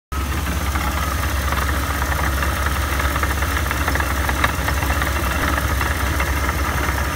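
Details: Supercharger noise after rebuild: at a steady idle, a constant whirring drone sits over the engine's low rumble; the supercharger is still noisy.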